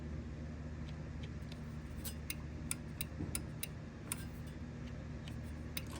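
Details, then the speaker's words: MCI bus with Detroit Diesel 8V92TA at idle: sharp, irregular clicks from an oddly installed Jake brake switch, which clicks but possibly isn't making enough contact; a meter check is still planned. "that's interesting so even though I heard that clicking right there it clicks but if I push"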